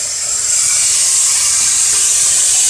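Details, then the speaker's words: 2002 Honda Accord EX, 2.3 L four-cylinder VTEC, engine off and cooled, exhaust pressurized from the tailpipe with a Shop-Vac: steady high-pitched hiss of air escaping, the leak found at the flex pipe, not the manifold gasket. "I pressurized the exhaust system and we're listening for leak and listen to that we can hear the leak"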